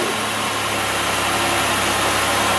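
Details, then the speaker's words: Chevrolet Impala 3.5L V6 after battery charging, previously slow cranking and misfiring with codes P0118, P0335 and P0326: now steady, even, smooth idle hum with no misses or knocks. "sounds a lot smoother uh we've got our RPM data"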